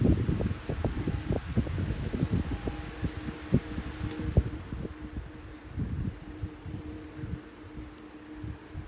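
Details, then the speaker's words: 14-inch Lakewood high velocity fan (1999-2000) on low speed: uneven clacking and rattling over a steady motor hum from worn thrust washers; otherwise it would be quiet. "had not been for the stupid uh Rush washers acting crazy making all that weird noise this F would have been super quiet on low"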